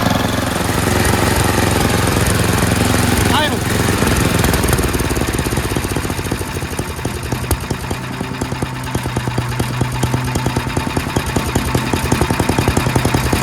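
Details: Yard Machines MTD 824 snowblower, 8hp Tecumseh Snow King single-cylinder, after Sea Foam in fuel, idle screw and governor-throttle linkage adjusted; steady putter about 160 beats a minute, no hunting or surging: normal idle.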